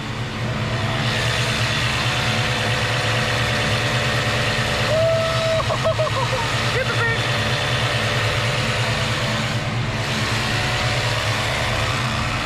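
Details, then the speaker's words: Plymouth Superbird at idle: loud, steady mechanical drone that never cycles off; vacuum pump for the headlights runs continuously when it probably should shut off once vacuum is reached, cause unknown. "I have no idea why it's so loud, but it's a pump that probably should shut off once it has whatever vacuum it needs to operate the headlights and whatever else, but it just runs all the time, and it's super annoying."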